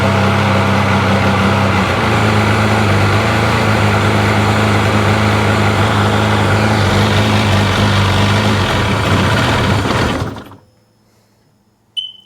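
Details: 2005 Sea-Doo 3D, 787 RFI engine that had sunk: steady low idle for about ten seconds, then sags and stalls; MAP pressure reads low (3.9–4.3), wiring corrosion suspected, cause unconfirmed.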